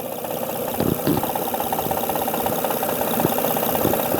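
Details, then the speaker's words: 2005 Honda Odyssey 3.5 L V6 idling with top cover off: sharp, somewhat uneven ticking knock over the engine hum, not valve slap, vibration felt at the faulty timing belt tensioner; rough idle and hesitation. "There's a ticking sound, major noise actually. It's not from the valve flash, I can tell you."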